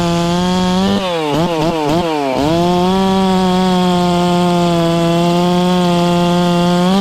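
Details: Ported, newly tuned Farmertec MS660 two-stroke chainsaw with stock out-of-box chain cutting cookies: steady high note dips briefly about a second in, then holds strong through the cut without bogging; normal under load.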